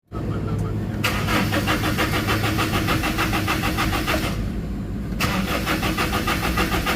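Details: Toyota Innova with fault code P0351, cranking but no start: starter churns about three turns a second, pauses, cranks again, engine never fires or catches.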